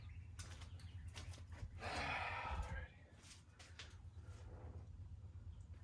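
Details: 1965 Chrysler 300 383 V8 after 17 years sitting in California desert, just revived on a gallon of gas to the fuel line: low, uneven, loping idle; smoke from leaked oil burning off, radiator has a large hole; owner suspects timing slightly off.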